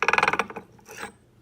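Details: 1992 Jeep Cherokee XJ, NP231 transfer case with slip yoke eliminator, on jack stands: quick sharp ratcheting clicks then a scraping rasp of gear teeth; whine on acceleration, grinding cured by changing the case-half gasket thickness.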